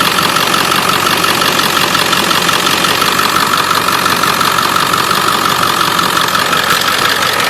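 Diesel idle with a sharp ticking near three a second riding over the clatter, pointing to a leaking up-pipe on the exhaust.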